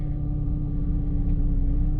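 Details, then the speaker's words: 2006 Jeep Liberty 3.7L at operating temperature after rough-idle repairs: low, even hum holding a steady idle around 600–650 rpm with no hunting or misses, A/C off and cooling fan not yet on. "alright so we've allowed the engine to warm up to operating temperature and if you take a look at the tach there it's holding a really steady right at currently 600 I"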